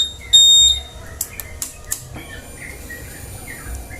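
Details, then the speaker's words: Honda Vario 150 with total electrical failure: after cleaning a dirty, blackened switch socket, key-on gives one clear high beep of about half a second and a few light clicks; system responding normally. "Oke, udah bersih, langsung dipasang aja. Oke, sip. Yuk kita kontak on."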